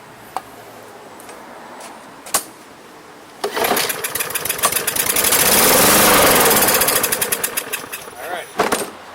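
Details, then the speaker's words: Free MTD 140cc lawn mower with a Briggs and Stratton plastic carb, on starting fluid: after a few clicks it catches, runs unevenly for about five seconds, then dies; spark and compression present, so fuel starvation, carburetor cleaning or replacement needed. "let me squirt that in here runs and dies because this burns apps that means we're missing fuel"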